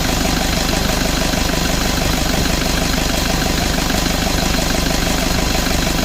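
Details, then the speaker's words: Toyota Vigo at idle with A/C running after replacing evaporator (leaking), blower, drier, valve, compressor oil and bearing, system not flushed: steady even idle, smooth rumble, no knocks or squeals; A/C cools and cycles normally. "ความเย็นทำได้ปกตินะครับแอร์ตัดต่อปกติทุกอย่างก็แกเย็นพร้อมใช้พร้อมส่งงานครับ"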